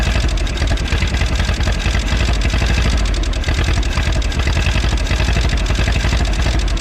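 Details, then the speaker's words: 1951 Willys CJ3A Jeep running for the first time since last tagged in 1969, on fuel poured into the carburetor with no fuel system hooked up: deep, steady low idle with an even beat and no knock. "Well, there we go. After, what did we say, 50 some years, this thing's running."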